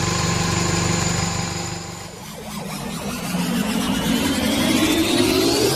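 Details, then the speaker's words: Old Toyota Great Corolla idling with engine flush added to the oil before an oil change (Shell Helix 20W-50), run about 15 minutes as temperature rises: even idle, then a dip and rising revs, no knocks or rattles; runs smoothly, rpm stable. "Oke kita tunggu sampai 15 menit yah kalau Hai masih cukup halus ini suara mesinnya"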